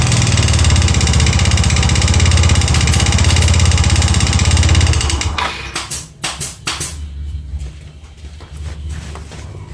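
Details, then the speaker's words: Yamaha Mio Soul GT 125 FI scooter, long unused, before CVT teardown: rough, lumpy idle with a steady knock about three times a second, then shuts off; mechanic suspects the piston, front engine section, unconfirmed. "Nah kalau didengar suaranya sih feeling ini bagian piston ya bagian mesin ya bagian mesin depan"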